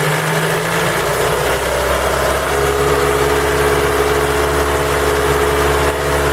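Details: Ford Focus 3 with PNDA engine idling cold: a loose, uneven knock about two to three times a second under the running note. Knocks when cold; cause not clear.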